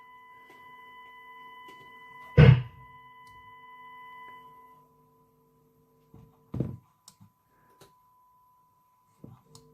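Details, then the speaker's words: Impact 60 W guitar amp with Partridge transformers, heavily modded and worn, during restoration assessment with a faulty valve socket: steady low hum with thin whine between thumps; reverb circuit humming. "So that's the reverb humming."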